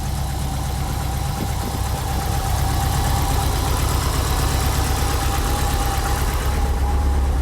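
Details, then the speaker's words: Subaru STI, 5,300 miles on engine, on lift after transmission work and exhaust install: deep steady idle with light quick ticking on top, nothing uneven; healthy engine with normal injector tick. "Reference, this car sounds nice and healthy. We got mileage on the engine, 5,300 miles on the engine. She still sounds healthy."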